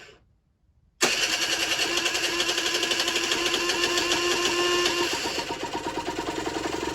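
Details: Generic Trigger SM 50cc two-stroke after cleaning blocked main and pilot jets, old stiff throttle cable fitted temporarily, temporary fuel tub: fires after a second of quiet, buzzy crackly run at fast idle; running fine.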